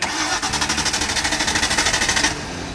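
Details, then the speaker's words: 1995 Ford Mustang GT, left sitting for years, first revival attempts: quick even cranking at about ten pulses a second, then it cuts to a faint rumble; engine fires but won't stay running. "to run twice more while you guys were gone it just would not stay running no it didn't it won't run for more than"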